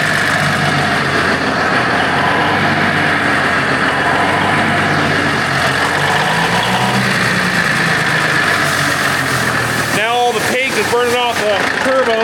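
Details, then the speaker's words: Big Bud tractor diesel first start after repairs: steady, even idle with smooth unbroken rumble, no knocks or misses; idling around 70 PSI, no hydraulic leaks, compressor working, healthy. "حتی نمی توانم بگویم در حال اجراست. جدی میگی؟ مرد، خوب به نظر می رسد."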